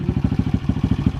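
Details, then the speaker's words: Kawasaki KLX170 (HadesOmega spec) after finishing a 24-hour endurance minibike race, started with difficulty on a weak starter: steady, even low thump at idle, no ticking or knocking, good compression; owner suspects a slightly dirty air filter; normal idle. "exhaust Rumble there you go sounds good good compression and when you get on it it moves a lot of air"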